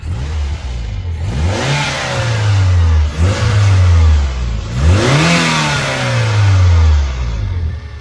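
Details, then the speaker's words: Daihatsu Atrai 7 (Extol/Hijet-based JDM mini-MPV), engine oil slightly low, coolant topped up, warming up: three clean rev blips rising and falling smoothly, no knocks or rattles; little engine sounds healthy. "A proper sporty sounding little engine, isn't it?"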